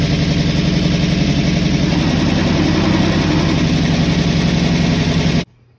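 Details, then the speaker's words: Mustang V8 just after the ignition timing was corrected, with pushrod length and valve adjustment still unresolved: fast, lumpy idle around 220 pulses a minute with a steady exhaust beat, then shuts off. Sounds much better; idle is high. "whoo finally well that sounds a heck of a lot better well not as exciting it actually sounded decent for a minute"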